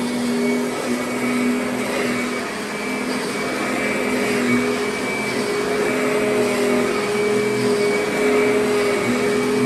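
Steady, even motor hum with a constant pitch and no grinding or rattle; the vacuum motor is running healthily.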